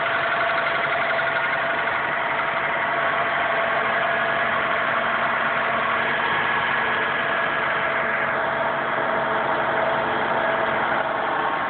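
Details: 2001 Honda Accord petrol engine idling cold: fast, steady knocking under the engine note, only during cold start for a short time then gone completely; owner unsure of the cause.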